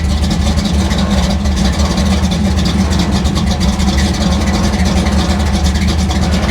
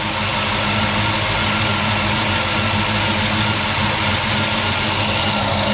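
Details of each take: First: Chevy gasser V8 with distributor locked out at 38° timing, idling around a thousand rpm, runs slightly rich and fast; deep, steady, slightly lumpy idle with even beat and no knocks or ticks, healthy and strong. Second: Chevy gasser engine running bad with a lumpy, uneven idle and a missing beat, because one spark plug wire was left off; an oil pressure fitting is also leaking.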